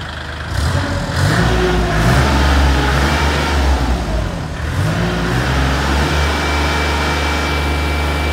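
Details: Kubota L3408 34 hp lightweight diesel tractor: steady, soft firing with low even beat and a brief rev, no knocks or rattles; healthy idle.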